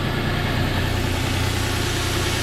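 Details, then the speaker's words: 2009 Nissan Pathfinder SE 4WD 4.0L V6 after valve cover gasket and spark plug replacement: deep, smooth, even idle with no ticks, knocks or misses; old belt cracked, possibly slight belt noise. Normal idle. "I didn't notice that but everything here sounds clean it's not I mean this thing is idle and perfect look at that motor it ain't it ain't moving a millimet"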